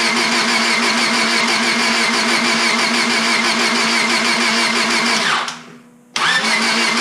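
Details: Honda Civic Si after engine rebuild, with valve cover, new battery and distributor installed: steady, even cranking at about 3.5 turns a second that never catches, then the starter stops; no spark, igniter module reading only about 0.2 V while cranking.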